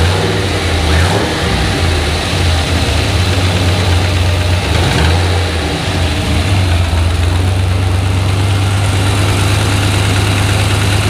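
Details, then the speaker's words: Junkyard 5.3 LS V8 in turbo S-10, restart after rebuild replacing bent gen 4 rod; warm, good oil pressure. Deep even idle with light blips; faint lifter noise but loud clacking gone; owner suspects slight cold piston slap from aluminum block. "so i don't know i mean to me it sounds like um i can still hear some lifter noise but i definitely don't hear that loud clacking that it had before"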